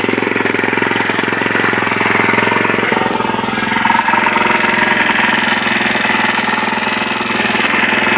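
Fast, steady single-cylinder beat holds constant for the whole stretch with no stumbles or cut-outs; the bike runs clean and healthy.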